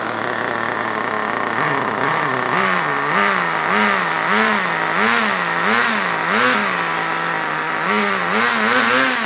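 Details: HSP Warhead 1/10 nitro buggy with Vertex .18 (2.95cc) engine, started in winter, car pressed against a table while idle speed is adjusted. Steady high-pitched buzz rising and falling with blips, running clean and healthy.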